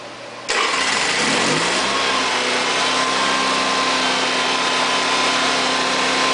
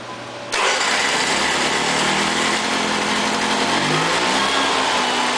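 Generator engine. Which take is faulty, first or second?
second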